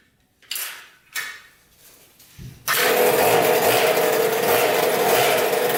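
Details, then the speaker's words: 2000 Cobra 50cc two-stroke mini dirt bike after carb cleaning, top-end work and new throttle cable: a couple of kick-start kicks, then it catches and holds a high, even buzzing rev with no misses; runs healthy. "it started up and it runs pretty good let's try to start with the kick start now and see if we can give us some revs and see if we can get this thing going"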